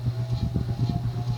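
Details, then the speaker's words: Diehl 52" ceiling fan, late 1920s–early 1930s, on high speed, freshly filled with about three ounces SAE 30 oil: steady low hum with pulsing cyclic flux buzz from a worn motor shaft, plus faint rotational brushing as something rubs inside. "all right turn it to height you can hear the cyclic flux buzz a little bit"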